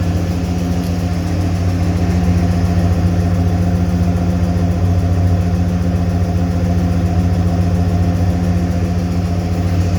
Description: I am trying to find out what the ticking sound is. It seems to be coming from the drivers side of the engine.